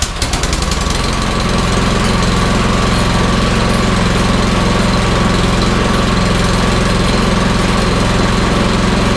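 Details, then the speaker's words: Troy-Bilt Storm 2410 snowblower, in for surging and rough running, after repair, started with choke, throttle and prime: small single-cylinder engine holds steady, even throb with no hunting or surging; normal steady running. "runs great runs great so i'm gonna wrap it up here and call it a night"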